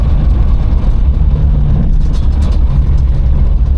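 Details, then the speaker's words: Triumph Herald Estate after refitting inlet and exhaust manifolds and carburetor, test run: low lumpy idle with uneven flat wavering exhaust beat that won't settle, yet drives nicely; rough idle, cause unclear. "I say, it's weird that the idle is so rubbish. It's really farty, but it actually drives nice."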